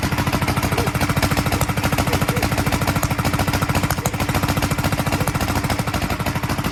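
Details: 1943 Gravely Model L single-cylinder starting after a magneto swap to a rebuilt Wico, running a borrowed carburetor set for a 1955 L: uneven chugging at about 200 beats a minute with sharp pops out the carburetor and exhaust; owner expects lapping the valves and checking the valve lash to help.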